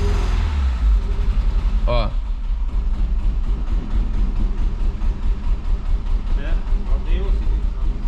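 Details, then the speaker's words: Fiat Brava parked 23 years, now running on tank fuel through the pump: lumpy, stumbling idle with a loping beat, struggling to hold idle; misfire on two cylinders from waxed, stuck injectors. "tá vendo a gasolina da bomba passando pelos bicos só que tem bico travado Olha a cera que tá tanto que a hora que a gente tava fazendo funcionar a gasolina direto não tava falhando é Bico bico travado tá em dois cilindros"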